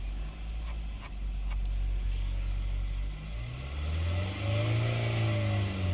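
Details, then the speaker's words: 2022 Kia Sorento 2.5L just after an oil and filter change with about 6.1 quarts, raised up in the air, idling to check oil pressure: a low, smooth, even hum lifting slightly near the end. Normal idle. "Make sure it's got oil pressure. We'll let it idle for a minute and we'll just"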